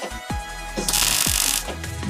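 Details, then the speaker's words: Hobart Ironman 230 MIG welder stitching a wide gap while repairing a cracked kids' go-kart frame: steady fizzing crackle with a few pops, smooth and even, showing the welder is set right; normal weld sound. "You hear how smooth and even the like the crackling of the welder is. That's a pretty good indicator that"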